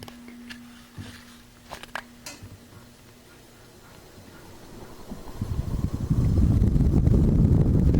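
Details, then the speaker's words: Fan run on high through a Modern Fan Co Model 001 four-speed wall control: faint hum and clicks, then a steady whoosh builds over a few seconds and evens out; the fan spins up smoothly to high, normal. "Takes a little bit to come up to speed, but that's nice and high."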